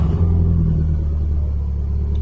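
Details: Mk1 Golf with swapped 1.8T AUM engine and 02J gearbox, fuel pump on a new relay circuit; engine catches and settles into a steady deep idle, low even rumble with no misses; normal start and idle.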